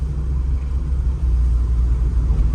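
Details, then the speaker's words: 1984 Volvo 242 with B23 LH2.1 engine and automatic, being driven after new fuel pumps were fitted: a steady, even low rumble with no misses or surges. It pulls smoothly and runs the best it ever has. "and actually seem to be running really nicely the best it's ever ran"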